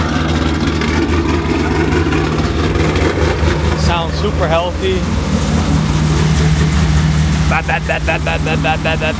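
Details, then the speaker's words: Truck cold start, loud deep exhaust rumble at a steady, even idle with music over it; no knocks, misses, smoke or leaks, a healthy cold start. "This thing sounds good. Doesn't smoke, nothing. No leaks."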